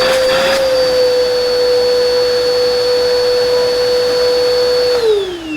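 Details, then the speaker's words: Bissell 2259/2252 vacuum, reference of how it should sound: steady even motor whine with clean constant high tone, winding down at switch-off; healthy suction motor, normal running. "What it should sound like. If yours sounds any different, keep that in mind."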